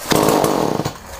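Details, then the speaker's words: Homelite chainsaw cold-started after sitting a long time and a carburetor clean, choke on: sharp burst of rapid pops that fades; fired on the first pull. "Wow. Fuck me, that surprised me, Christ. Never expected it to start like that. Fired first pull."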